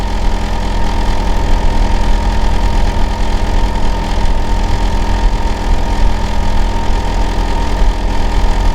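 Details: Neighbour's Hitachi air conditioner outdoor unit running in winter heating season, heard from next door; constant heavy low drone with fixed humming tones, unusually loud, cause not evident; loud running noise.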